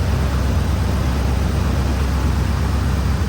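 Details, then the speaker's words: 2005 Ford Explorer 4.6L after an EGR valve replacement, listened to for the vacuum leak sound the customer reported. Smooth, even low idle with a steady beat and no hiss or whistle. Normal idle with no vacuum leak heard; the scanner showed a pending MAP sensor high code. "Sounds pretty good to me."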